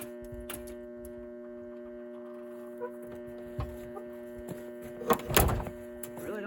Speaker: Now let's see if this battery charger actually works. Okay. flame's just pushing power. It makes a bunch of noise, like it is. Maybe it's gonna blow up.